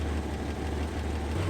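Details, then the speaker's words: 1973 Dodge Dart Swinger with valves adjusted and rebuilt single-barrel carburetor, just started with a little gas: quiet, smooth low rumble at steady idle, no ticking or knocking. Normal idle. "as you can see it doesn't really sound like a muscle car she's quiet super quiet but it runs really well"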